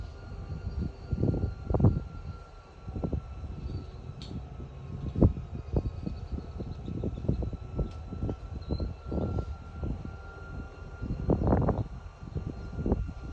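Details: Chicago and North Western #6847 diesel locomotive after engine failure: deep rumble surging in irregular heavy bursts with clanks, dropping back each time as crew repeatedly tries but fails to get it moving.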